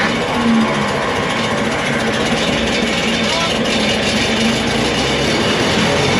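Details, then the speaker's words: LeRoi four-cylinder gas engine of a Bantam T35 crane on a 1945 GMC 6x6, sat 8+ years, just started after choking and fuel trouble: a loud, dense, unbroken roar at wide-open throttle, too fast. Oil pressure came up. "did you take the throttle there I had the throttle wide open yeah you don't want that no we don't want that"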